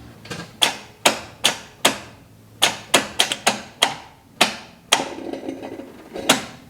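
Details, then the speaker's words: 1980 Chevy C10 truck long left sitting, cranked with coil wire off (no spark): sharp uneven ticks and clacks with gaps, engine not turning over; owner suspects a bad starter or bad battery connection. "did you hear that weird noise like something boiling i think that was the starter maybe it's just got a bad starter"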